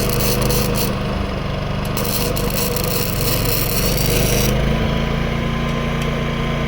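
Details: New Predator 11,500 W inverter generator powering a Chinese inverter welder: an even engine drone with arc crackle over it, holding the load without surging. The arc strikes and holds well; it runs normally under load.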